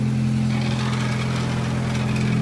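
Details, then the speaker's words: Toyota Glanza V after underside repairs and an oil leak fix around the oil filter housing, idling: strong low drone with a buzzy vibration, no knocking; noisy vibration from a loose exhaust bracket, to be fixed. "That noise, just this bracket here. I'll sort that out for him. It's quite a noisy vibration."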